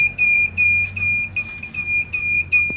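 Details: Large 1000W pure sine-wave inverter (test 9) trying to start a 1/2hp motor pump: shrill high beeps a bit over two per second; inverter tripping on overload, failed start.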